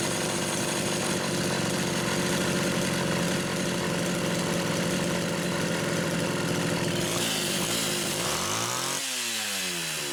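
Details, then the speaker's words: Rebuilt Homelite Super XL carburetor no. 3, test-run with the throttle worked by hand after the linkage slipped: high steady buzz on throttle, then winds down smoothly to idle with no stumble; runs normally, idle speed adjusted. "But I'm going to say number 3 is charmed too. It's funny, every single one has tuned quite a bit differently. I've had to adjust the idle speed on each one."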